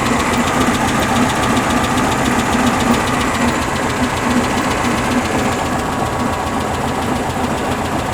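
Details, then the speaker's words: 1974 VW Beetle flat-four with dual 34 carbs, after an engine tune: a steady, even idle with a light, regular valvetrain tick and no misses. The owner notes a valve cover leak and a valve adjustment still to do. "all right so we're tuned in she Keys over she runs she idles"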